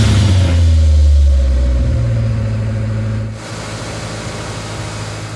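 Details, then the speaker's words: 1996 Ford Ranger after fuel pump replacement, not run for over a year: deep even hum dropping to a lower settled idle, slightly high; smoothed out, owner expects it to learn; battery light on, filler neck leaking. "overall not too bad it smoothed out quite a bit it's still idling a little bit high but I imagine it'll kind of learn that as we go here"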